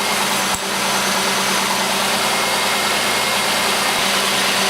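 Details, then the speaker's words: 1989 Oldsmobile 3.8L 3800 V6, intermittent stalling, running cold after wiggling a wire restored spark: steady, even idle with constant low hum and hiss, no stumbles or surges. "now as you can see we have spark and right now the engine's running good cold tell she gets"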